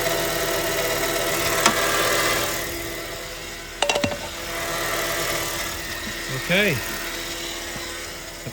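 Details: Engine idling with new water pump and belt fitted, alternator unplugged: repeated sharp chirps and thin squeal from the accessory belt drive; squeak persists, alternator suspected next.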